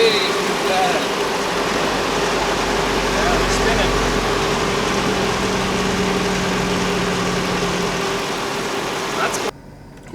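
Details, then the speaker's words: Mercedes E55 AMG V8 after overheating to 120°C and installing a new auxiliary cooling fan: smooth even idle with a soft, slow fan whir underneath, temperature holding just over 80°C, no knocks; normal idle with fan running. "so it's sitting there and the fan that we just installed is on it's not going very fast but it is on"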